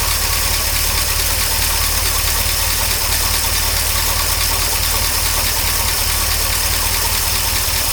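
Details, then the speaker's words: 1953 Oldsmobile Rocket Super 88 barn-find V8, after fixing stalling and hesitation and now running on a new fuel pump. Steady, even idle under a loud, raspy exhaust with no knocks or misses: normal idle. "the exhaust is really loud I'm loving the Clyde it down but the engine sounds really really good all things considered"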